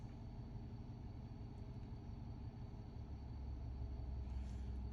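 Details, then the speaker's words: 2011 Ford F-150 that had a random misfire code while driving, after new spark plugs were fitted. The scan shows no codes except a cooling-related one. Steady, even low rumble with no stumble: a clean, normal idle. "هسه راح نسويه عندنا الاكتويتر مو زين ه السياره مشتغله صافيه"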